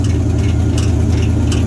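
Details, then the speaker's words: C3 Corvette Stingray V8 idling with a light, sharp plastic tick now and then, which a mechanic called engine ping; actually the fan blade hitting the plastic fan shroud, fixable with a cable tie. "It's the fan shroud. The fan's hitting the fucking plastic. I don't have an engine ping."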